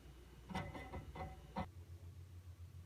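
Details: QNAP TS-419P II NAS with 8 TB drives: quiet hum with bursts of sharp irregular clicks and ticks, like hard drive heads seeking, only under load and silent at idle; cause unconfirmed.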